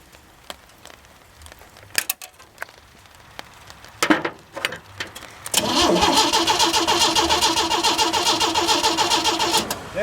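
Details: 1937 Chevy 250 six-cylinder, unrun for unknown years, cranked with distributor and coil disconnected to check oil pressure: after handling noise, the starter whirrs steadily with even chugging about three times a second, never firing. Oil pressure then appeared with clean oil.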